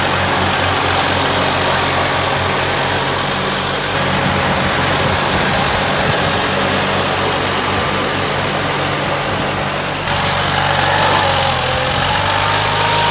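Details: Case 446 "Big Wheel" lawn tractor twin, barn-stored several years, after removing carburetor air-filter screws that fell in and held valves open: steady even chug with faint whistle on top, no misses or knocks; normal running.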